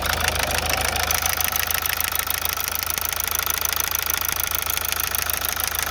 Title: MAZDA 6 2.2D SKYACTIVE knocking sounds???